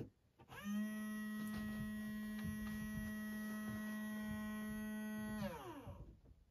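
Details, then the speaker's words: Spirit Halloween Eternal Rest animatronic prop, first power-up test: steady electric hum switches on and holds constant for about five seconds with no load changes; motor spins constantly, drive belt missing. "Did you hear that? If not, it was a motor spinning constantly."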